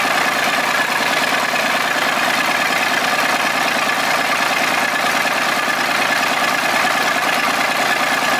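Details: Volvo 320 tractor, Perkins diesel, first start after repair (valves adjusted, injectors, filters, oil changed, rocker cover off): steady, even idle about two beats per second, no knocks or misses; engine sounds healthy.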